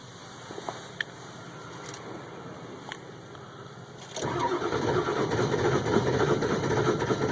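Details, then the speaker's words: 2002 Ford F350 7.3L Powerstroke diesel, cold start at about 34°F after 2–3 minutes of glow-plug warm-up: faint clicks, then long steady cranking that never catches, with smoke and a warning light. Battery seems fine; owner suspects glow plugs. "nothing it's acting like it wants to catch but it isn't there's [Laughter] [Laughter] smoke and that light's coming on"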